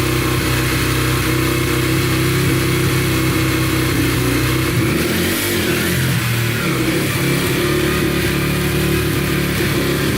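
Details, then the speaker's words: Yamaha TTR125 dirt bike (believed 2003) after top and bottom end rebuild, following running out of oil; crisp even revs, no ticking or knocking; sounds really good, ridden briefly in first gear, no leaks. "all right runs and sounds good no ticking sounds really good and uh drove it in first gear for a little bit and everything seems pretty good no leaking at all"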